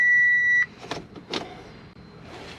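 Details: Car with newly installed Auxito LED headlights that flash after the ignition is turned on: a steady electronic beep stops after about half a second while the dash shows "switch ignition off"; the cause is unclear.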